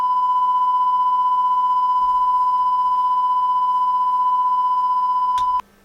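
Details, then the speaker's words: Carlsbro Cobra 1100 200W four-channel PA amplifier after repair of fuse-blowing fault, bench test: clean steady 1 kHz test tone, no hum, crackle or dropouts; normal amplifier output. "Yep. And that's the same. Perfect. And there's 1,00 hertz."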